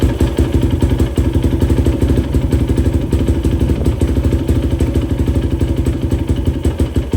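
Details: 2004 Yamaha YFZ450 after sitting, carburetor cleaned for a clogged pilot jet and new ignition fitted: even, steady single-cylinder thump at smooth idle with no misses or stumbles; runs well, cooling fan kicks on, not overheating.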